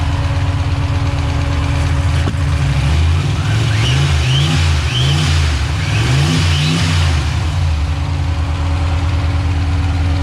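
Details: Freshly rebuilt stock-block Ford 302 HO V8, first fire-up, cold, oil pressure around 60: steady idle with quick throttle blips, revs rising and falling cleanly with no knock; healthy after rebuild.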